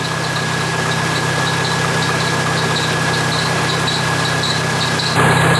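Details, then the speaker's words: Jeep 2.5 L engine at idle, started after rocker arm and pushrod replacement: no ticking, but a thin high whine with quick chirps about four a second from a worn serpentine belt, replaced afterwards. "I don't hear any noise. Besides the belt, by the way. I do gotta change that one. Yep, that's the belt."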